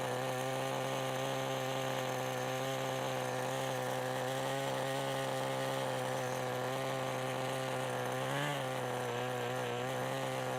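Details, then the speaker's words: 1988 Kyosho Ford RS-200 RC car, OS Max 10 FP-B nitro engine, second startup after restoration with a newly made throttle servo arm. Slightly warm engine holds a steady high buzzing idle with a throttle blip, and its tone changes as the exhaust flap opens. Normal running. "sounds like we're ready to go with a little warmer and again if you listen really carefully you can hear the change in engine tone when the little exhaust flap opens"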